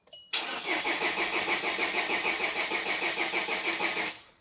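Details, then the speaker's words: SsangYong Actyon 2.0 diesel with Mercedes engine, first start after replacing all four injectors: after a short crank it catches and settles into an even, steady idle with no misses or knocks; healthy start. "primeiro funcionamento às vezes demora um pouquinho é normal viu funcionou Olha aí funcionou"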